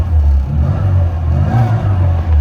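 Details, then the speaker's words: 1997 Rover Mini Cooper 1.3i, fuel-injected, on the road under load: deep even engine note climbing smoothly through the revs, no knocks or rattles; engine revs out perfectly, healthy. "Like the engine revs out perfectly and yeah, I mean I I have no complaints with this thing."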